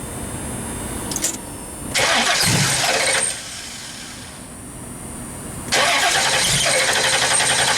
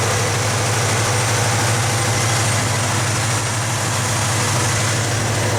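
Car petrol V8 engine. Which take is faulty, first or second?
first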